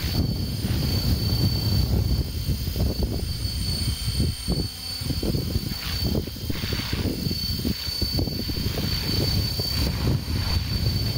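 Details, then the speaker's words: Helicopter with the tail rotor turned away from the observer: a steady low drone with a gear whine near 4 kHz and wind gusts; the main rotor is mostly quiet and the transmission dominates. Normal hover. "we can also see that it's only occasionally that the actual rotor makes noise besides wind hitting it it it really doesn't make much noise at all and it's the transmission that"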